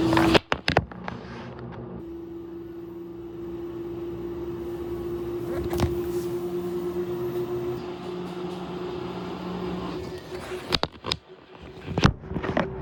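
Steady motor hum over a heavy rumble, with knocks and rattles at the ends; the washer is shaking far too much during its cycle.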